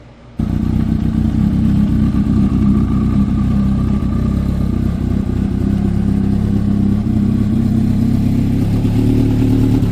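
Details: Honda CB750 cafe racer four-cylinder at idle after a carb rebuild, new spark units and a brake rebuild; owner notes it is a bit loud with a rattle on the tank. A steady, even low burble with no misses, knocks or clatter; running cleanly.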